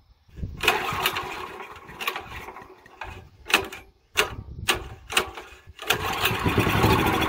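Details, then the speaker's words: Honda GX340 11 hp ex-pressure-washer engine that sat for years, carb and tank cleaned, premium fuel plus starting fluid, unmounted on concrete: coughs and fires in uneven bursts, cutting out and catching again while smoking. Rough running clearing out after long storage. "we had no idea it's been sitting for years you saw the smoke at the beginning they kind of clear it out because it is cleaning up getting some oil in the Rings and getting them to move around again"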